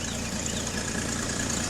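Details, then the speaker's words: Petrol engine idling steadily with a fast puffing tick from an exhaust leak, after the wrong fuel pump that caused a tac-tac noise was replaced and points were reset from 0.016 to 0.017; owner fears a cracked exhaust manifold. "I changed it put the right one on it you hear it other than that exhaust leak over there it's doing pretty good"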